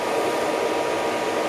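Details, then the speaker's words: BMW E36 with a newly installed cheap electric radiator fan, tested at ignition on: a steady, even whoosh with a soft mid hum and no rattles. The fan is strong enough to spin the clutch fan; normal electric fan operation. "Yep, so the fan kicked in there, and you can hear it kind of going just there, and it's actually powerful enough to actually spin the clutch"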